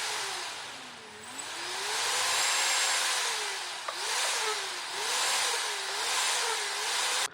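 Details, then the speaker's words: Brushless mini quad motor on a simple servo-tester and ESC motor tester; a clean thin whine rises and falls smoothly as the dial moves, over steady airflow hiss, then cuts off; motor is good. "as you can see as we run it up the motor whines up and when you move it down so I like the motor whines down"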